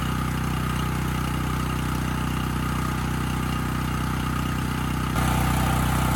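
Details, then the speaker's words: Coleman Powermate 5000-watt generator, stored outdoors, after an air filter change fixed its running problem: steady, even engine note at constant governed speed with no hunting or misfire, running well unloaded and loaded; normal running. "I honestly did not think changing that filter was going to fix the Run condition but it did I mean this engine's running quite well unloaded and loaded up"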